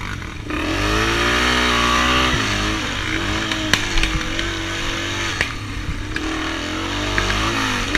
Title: RMB misfiring